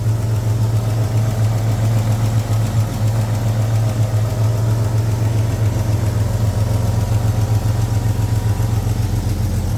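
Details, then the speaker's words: Jeep Grand Cherokee WJ 4.0 engine, idling on first start after purchase: deep idle with a rough, rapid puffing chuff of about four beats a second from an exhaust leak up high; engine otherwise seems healthy. "it doesn't sound very nice it sounds like I've got the exhaust loose since it is so up High um there where our leak is"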